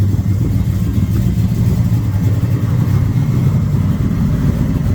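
Deep, steady V8 rumble with a slightly lumpy cam lope and no knocks or ticks; a healthy-sounding idle.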